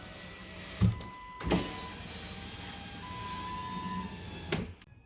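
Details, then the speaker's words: 2004 Ford Freestar power window motor after its connector was cleaned and replugged and the stuck motor was tapped free with a screwdriver handle. A steady hum runs evenly with clean starts and stops and no binding. Normal window operation. "just tapping on that it uh broke it free so now now we got a working"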